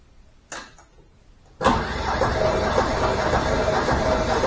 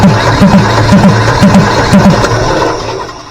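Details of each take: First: Deutz 1011 two-cylinder diesel driving an air compressor, after being taken apart and repaired for very rough running, fuel system not bled: starts at once, no smoke, smooth steady even idle with no misses or knocks; normal idle. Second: Deutz 1011 two-cylinder diesel powering an air compressor, ran terribly; listening at intake manifold while cranking: about two compression strokes a second, each with a sharp rushing puff, suggesting compression leaking back past a valve; suspected.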